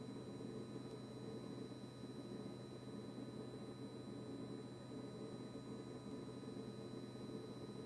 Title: Kitchen-Aid KRFC704FSS00 constant fridge compressor buzzing noise after service by Blue Diamond.